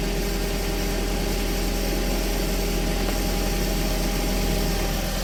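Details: 2001 VW Beetle 1.8T with code P0322 and intermittent hard starting: this time it catches at once and settles into a steady, even low rumble with no stumble or misfire; normal idle, fault not present.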